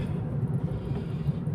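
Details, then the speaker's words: Car with underbody noise after prior suspension work, steering rack repaired and alignment done, road test on rough road: only a low, even road rumble, no knocks or clunks from underneath; noise gone, suspension quiet. "तो भाई मजा सा आ गया आवाज तो कुछ लगी नहीं इस टाइम चलाएंगे रफ रोड"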